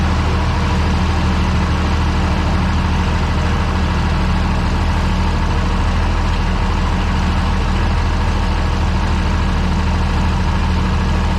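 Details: Tractor idling at 48°F after a quick start aided by the intake-air preheater, oil pressure okay: low, even, constant idle with no stumbles, normal idle.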